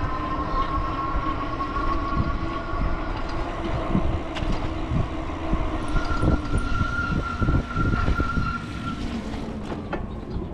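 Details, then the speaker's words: E-bike riding on a wet road after rain in cooled-down weather: over wet road hiss and rattling, a thin steady squeal rises mid-ride and holds for a few seconds; wet brakes squealing. "it's cooled down since it rained so got them squeaks going on in the brakes got to work on that you know"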